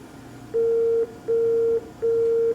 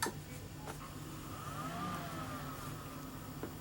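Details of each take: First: PowerMac G5 powered on right after installing a new DVD burner: three long identical mid-pitched beeps with short gaps instead of the normal chime, a startup fault code. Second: PowerMac G5 powering back on after installing a new DVD burner: quiet fan hiss then a full sustained chord that rings and slowly fades; normal startup chime.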